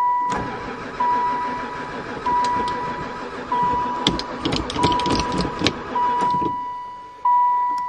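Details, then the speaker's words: Long-stored van (sat about 4 years, barely ran before) cranks in ragged bursts with a warning chime between tries. It never fires. Oil light no longer on; owner suspects no spark. Crank, no start. "um I think we definitely got no spark I give up piece of bees"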